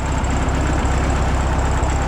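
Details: 1967 VW Bug air-cooled flat-four after oil-leak repair and belt re-tensioned: steady, even low throb at idle with no knocks or misses; sounds good and quiet; normal idle.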